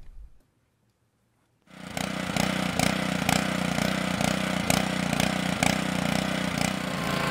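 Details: Idle-surging pressure washer or non-starting lawnmower engine after ultrasonic carburetor cleaning: after silence it catches and holds fairly even, busy run with only mild pulsing; now running healthy.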